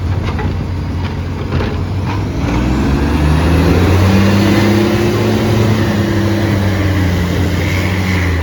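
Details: Garbage truck SL01400 in Mandurah on Good Friday, heavy diesel pulling away with a loud coarse roar swelling as revs climb; exhaust roar from a massive exhaust leak.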